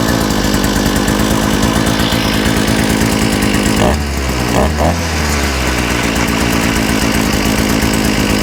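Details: Small engine with a new carburetor, after correcting reversed fuel pickups and removing a kinked fuel line, buzzes steadily at high speed with only a brief dip midway, otherwise smooth and even; normal running.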